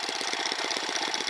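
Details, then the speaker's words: Rieju MRT Pro moped with a modified Dax exhaust fitted, idling: quick, even popping at about thirteen beats a second with a raspy exhaust note and a small metallic rattle from a loose spring; normal idle. "Donc voilà le son du pot, un joli son je trouve, pas trop mal."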